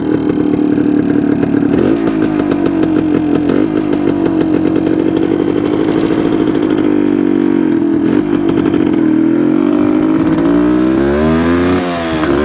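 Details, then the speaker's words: 1972 Suzuki TS250 two-stroke on road after carb work with 170 main jet: steady mid-rev buzz that wavers and stumbles as throttle is added; still not taking fuel, owner plans to change spark plug; hesitation under throttle. "sounds better but it's it's still not taking the fuel I'm I think I'm going to change the plug and try it again"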